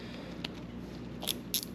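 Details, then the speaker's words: Shimano Chronarch baitcasting reel during service: a handful of crisp, bright clicks as the drag star is turned from the plastic drag clicker; normal operation. "hear that clicking. So, when you take this handle off right here, you pull that cover off where that nut is, you pull the nut off, and you pull that handle off, there's a little plastic um, it's not a washer, but it's a clicker that goes in."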